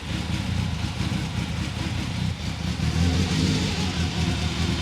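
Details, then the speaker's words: Freshly rebuilt BMW S14 engine at its first start: rough running that sags and surges with throttle blips, smells a little rich and won't hold an idle on its own; the cause is still undetermined. "all right turn off and by turning off I mean let it just die but yeah it won't idle basically right so yep okay so it's not idling very well we have to figure that out"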